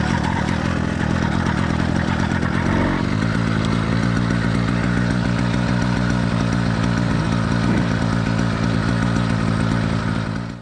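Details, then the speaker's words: Two-stroke motorized bicycle engine, cold, first start of the day in cool weather on choke: catches quickly with a fast crackle, then settles to a steady, even popping idle once the choke is off; normal cold start. "this was a cold motor being started for the first time today it's cool weather outside so I use the choke until the motor kicked over a few times"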